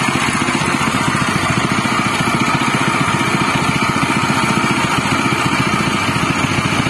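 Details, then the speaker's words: General CX200 6.5 hp, 196 cc single-cylinder air-cooled 4-stroke OHV petrol engine (pull start, 20 mm shaft): fast, even putter holding a steady beat with no knocking or rattles. It is running normally and smoothly. "Itulah tadi teman-teman bunyinya dari CX200 dari General ya. Dari suara memang cukup halus ya."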